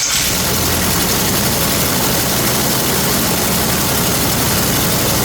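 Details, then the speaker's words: Canard experimental aircraft engine on a ground run after a new MTH ignition, timed to the engine, was fitted to address a surge at 2,500 rpm cruise; tested at various rpm and on left and right ignition alone: smooth, even firing, no miss; normal. "So I tested at various RPMs and with just the left ignition and the right ignition, and it all works fine."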